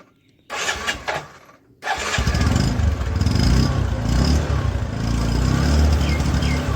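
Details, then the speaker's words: Motorcycle drum brake after a permanent fix for squealing and adjustment re-tightened, run in second gear: engine pulls steadily with no squeal or scraping from the brake; normal, quiet drum brake. "देखिए थोड़ा भी आवाज नहीं है इस तरह आप परमानेट इसका इलाज कर सकते हैं"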